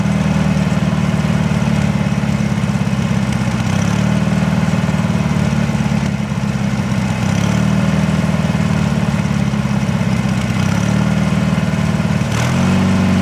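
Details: Briggs & Stratton 18 HP engine on a Wheel Horse Work Horse GT-1642: an uneven, loping single-cylinder-style thump that wavers in strength; rough idle, cause not pinned down.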